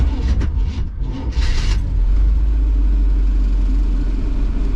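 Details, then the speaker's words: Carbureted classic van with an Edelbrock carb, on a hot start with the choke set: the engine turns over slowly, bucking and labouring before firing; timing was suspected but loose battery cables were the cause. "struggled like timing if it's uh turning over but slow and kind of bucking outside of a weak battery your timing may be a little bit too advanced outside of a weak battery"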